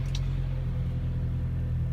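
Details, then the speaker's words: Volkswagen Beetle just after a cold winter start, transmission fluid recently topped off: steady, even low rumble at a raised idle with no knocks or misses, fast-idling to warm up. "okay kisses I guess I started applying huh and it's doing a high idle to warm up I heard some cars actually do that"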